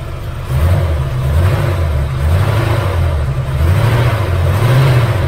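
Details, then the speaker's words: 1978 Chevy Nova V8, abandoned 25 years. At idle a deep, lumpy rumble with uneven exhaust beats sounds like a cylinder miss, cause unconfirmed; the alternator is not charging (light on, engine dies when the positive is removed). "The alternator, we can really start this up so you can hear it. Uh-oh. Sounds like a miss now, but"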